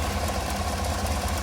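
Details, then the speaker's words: 2017 Chevy Tahoe PPV V8, almost 185,000 miles: a steady idle with a faint, quick, regular tick keeping time with the firing, from an exhaust leak at cylinder 8; exhaust manifold leak tick. "Let's go listen to my baby purr. Got a exhaust leak over here."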